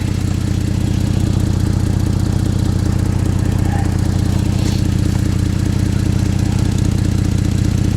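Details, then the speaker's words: Ford Flex EcoBoost with broken flex pipe, after a cheap wrap repair, idling: rhythmic low puffing about three pulses a second over the engine note; exhaust leak quieter but not sealed, steam escaping. "the steam that you see right here tells me that it's not really sealed all the way it's not as loud as it was I'll give it that"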